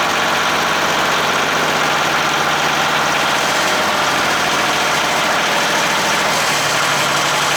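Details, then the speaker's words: Yamaha diesel cold-started at 32°F after glow-plug preheat: steady, even diesel clatter at idle with no knocks, misses or surging. The alternator isn't charging yet, but the engine runs healthy. "the horn doesn't work i will say one thing she runs good we'll see if that proves me wrong"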